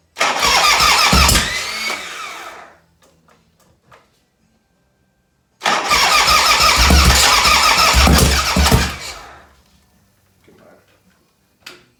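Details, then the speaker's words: 1985 Harley-Davidson FXRS Evo, freshly rebuilt with excess oil: engine fires up twice and runs briefly with light regular tapping over the rumble; owner suspects lifter noise, not rocker shaft play, cause unconfirmed. "you can get some noise but that's not the noise i'm hearing i'm hearing tap it noise"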